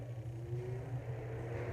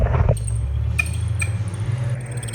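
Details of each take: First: Britânia Turbo fan after motor replacement with a compatible good motor: smooth, steady low motor hum with soft airflow, oscillating, no squeaks, rattles or noise; fan running normally. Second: Britânia Turbo fan motor, run on a series test lamp: steady hum with irregular high chirps and dry scraping squeaks from a bushing with zero lubrication.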